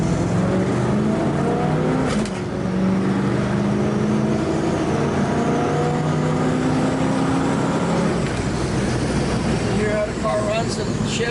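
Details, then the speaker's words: 1967 Chevrolet Camaro RS, 327 V8 with cowl induction hood and automatic with a shift kit, under acceleration: revs climb strongly and drop crisply at firm upshifts with no flare or slippage; strong, healthy running engine, carburetor opening properly. "Nice strong running car. It goes straight as an arrow. The carburetor opens just like it should. The motor has a good strong sound to it."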